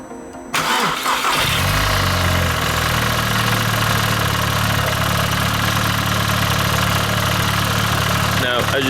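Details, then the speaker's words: VW Polo 9N3 GTI petrol, idling: hard, diesel-like clattery rattle from the air conditioning compressor, whose magnetic clutch has seized or failed, owner suspects its bearing; fix is an AC delete with a shorter belt. "be able to hear the polo that should sound like a petrol sounds like a diesel that's because the magnetic clutch on the air conditioning pump has gone it's seized or something's gone wrong with it"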